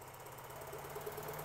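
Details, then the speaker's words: 2013 Honda Fit 1.5L with P0303 dead-cylinder misfire, injector number two unplugged to test the noid light: lumpy, uneven chugging at idle; running on only two cylinders, cylinder three injector not being triggered. "so I'm just going to unplug number two here you can hear this thing running pretty bad it's only running on two cylinders"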